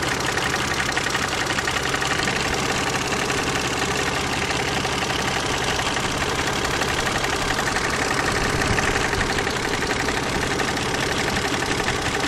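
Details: KF 2.0 engine at steady idle with a fast, slightly uneven ticking knock; it sounds like a hydraulic lifter but seems to come from the side. Cause of the engine knock is unknown.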